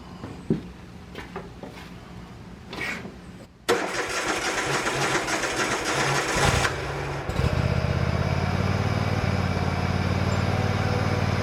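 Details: Bobcat Predator Pro zero-turn with Generac engine, after repair and maintenance for losing power in tall grass, blades sharpened and balanced, mowing: strong steady drone through the cut, no sag or miss; couldn't make it bog, believed fixed.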